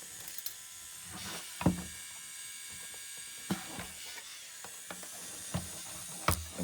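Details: Sony MDS-JE470 MiniDisc deck that was stuck on standby, powered on during fault-finding: faint motor whir broken by sharp ratchety clicks every second or two, a gear-slipping noise whose source is still being investigated.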